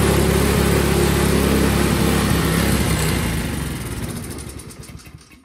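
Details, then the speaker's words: Craftsman single-stage four-cycle snowblower, carburetor reinstalled and bad gas drained: engine runs rough a few seconds, chugging fades and it dies; keeps starting and dying, needs constant priming, typical of a very dirty carburetor. "as you could hear it would start and die start and die the only way i could even kind of get it to run was to actually hook a prime bulb to it and just keep priming it um this is very typical with carburetors that are that dirty"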